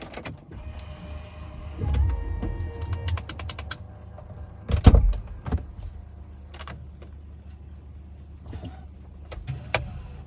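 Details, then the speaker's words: Range Rover L322 electronic parking brake, no parking brake faults stored, heard from inside: two short smooth motor whirs applying and releasing, no straining or grinding; does not sound bound or stuck. "yep So that doesn't sound like it's bound and stuck, doesn't mean there's not an issue with it but that's also promising"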